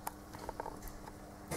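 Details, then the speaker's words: Hyundai i20 1.1 CRDi three-cylinder diesel (about 70 hp) idling with the accessory belt removed, ruling out pulleys, water pump, A/C compressor and alternator: steady low hum with sharp metallic knocks from a seized engine, a spun connecting rod bearing. "silnik zaczyna postukiwać jest w wersji uszkodzonej i bierzemy się za analizę co tu się w ogóle wydarzyło"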